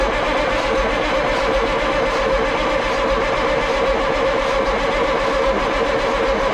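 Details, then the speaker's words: Ford cabover truck with 14 L Big Cam Cummins diesel, sat 10+ years, cranked on jumped starter solenoid with fuel solenoid disconnected so it can't fire; steady starter churn, no firing, building oil pressure before running (turbo feed line flowing oil). "l keep fuel from flowing to the injector so this engine doesn't actually try to fire off but if we can get a few rotations out of this engine we'll start building oil pressure we can send oil everywhere before we start firing on actual fuel"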